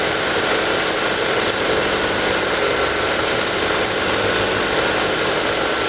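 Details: Ford Lynx, previously crank-no-start with no fuel pump power or injector trigger, traced to the crank sensor giving no signal: after repair, steady even idle with constant hiss and hum, no misses or knocks; running smoothly.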